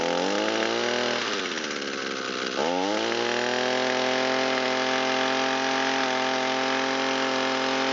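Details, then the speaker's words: Echo SRM225 trimmer that had sat long with fuel in it and had low compression, after repair, warmed up, with the mixture leaned: a high two-stroke buzz sags briefly, recovers and holds steady. It restarts on half a pull; normal running. "Now that it's warmed up, we'll check the restart. Ignition on. Carburetor is responding nice. Starts on about half a pull."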